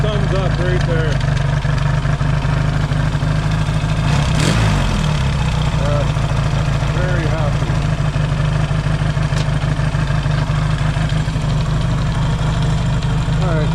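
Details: Yamaha XS650 twin, engine just reinstalled and first started, warm: steady, even low idle with no misses or knocks; healthy warm idle.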